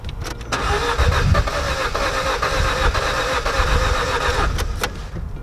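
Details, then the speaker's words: 2007 Ford Focus right after DIY service with new spark plugs and plug leads: starter churns steadily for several seconds, never catches; crank no start because the plug leads were not pushed on properly. "must be the spark plugs then hmm they're not pushed on properly"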